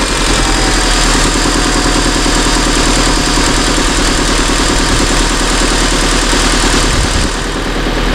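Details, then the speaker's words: 2002 Honda Civic after replacing the ignition coils, previously misfiring with codes P0300–P0304: steady, even idle with no stumble, purring smoothly; no more missing. "Oh, it's purring. I can feel it right away just sitting in the car. No more missing."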